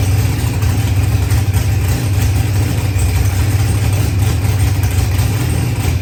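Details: Procharged LS V8 with 12-1 crank trigger, running after start troubles were fixed; deep, even idle with smooth steady beat, no misses, knocks or surging; normal idle.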